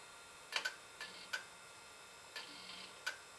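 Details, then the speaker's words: Digital PC 5000 Pentium II computer booting Windows 98, possibly cold: sharp irregular clicks half a second to a second apart over a quiet hum from a failing hard drive, to be replaced. "hat was going on it's trying something windows 98 yeah that hard drive is no good it might not like how cold it is that may be the issue"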